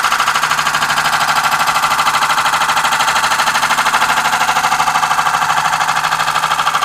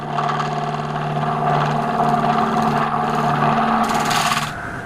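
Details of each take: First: Wood lathe, light cut on a hybrid oak and cast-resin platter with resin-filled holes: steady rapid tapping about three a second, once per turn, as the tool strikes the high spots; interrupted cut on an out-of-round, uneven workpiece. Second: Wood lathe with speed raised to 1100 rpm, making a lighter cut with a square-style radius tool on a thin oak and resin platter: steady, even hum with only a faint rough flutter; less pressure stops the flexing and reduces chatter.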